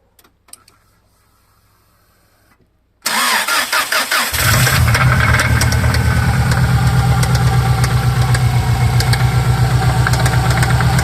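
Engine catches and settles to idle with a steady, regular knock of roughly two to three per second; rod knock versus piston slap undetermined.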